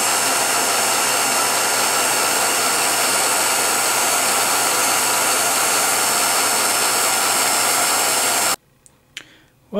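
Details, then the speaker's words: 1949-ish Revere P-90 8mm silent projector under teardown: steady dry whirring clatter from the drive at constant pitch; old hardened grease and a frozen-solid lower chain tensioner make it run rough; tensioner to be disassembled and lubricated. "lower tensioner is completely frozen solid. Or was. So now I've got to take that apart and lubricate it."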